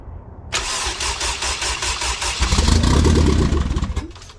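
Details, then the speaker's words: K20 turbo RHD Honda Civic wagon, first start on a startup base map with no radiator fitted, push-button starter, in neutral on a cold day: cranks, fires and runs choppy for a few seconds, then catches itself; rough first start. "you might have noticed that it was a little choppy on the first start and after holding the idle for a little bit the car started like catching itself"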